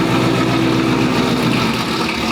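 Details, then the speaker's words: 2019 Roush Stage 3 Mustang V8, first start after blown engine, valve covers checked: steady choppy loping idle over deep exhaust rumble, idling by itself without throttle; minor valve cover gasket oil leak found afterward. "throttle body is idling by itself no gas needed i didn't even have to gas it upon startup"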